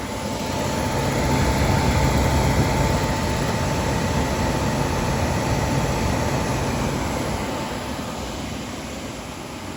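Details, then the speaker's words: Suburban SF-30 camper furnace bench-tested on a battery with no propane connected: blower roars steadily while the igniter ticks about four times a second, sparking but nothing lights; expected without gas. "it's not lighting I don't have the propane hooked up I just wanted to show you that everything is working"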